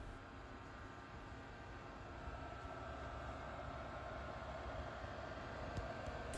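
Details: Freshly refurbished and assembled Pentium II PC first power-up: steady, even whir of fans and drive hum with no knocks, rattles or grinding; system runs smoothly and normally.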